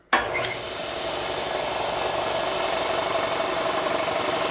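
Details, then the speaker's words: Discarded 2 HP Craftsman air compressor, first run after being found by the trash: steady pump drone with a rough rasp and constant hiss of escaping air. Air is leaking where the check valve should hold tank pressure, so the check valve is suspected. "This thing is leaking air right in here. Somewhere in here, either up here or down here, there should be a check valve that keeps the pressure in the tank and coming back into the pump."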